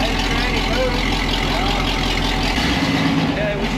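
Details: Jeep YJ idling after first start following floor and wiring work; steady, even idle with raspy, chuffing exhaust note from the leaking newly built exhaust; coolant warm at 190 degrees; runs smoothly, normal idle.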